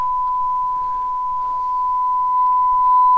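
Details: Dumpster-found Shure M267 mixer, balanced output fed to a small stereo amplifier at line level after fixing a ground hum, playing a steady clean 1 kHz test tone with only faint room noise.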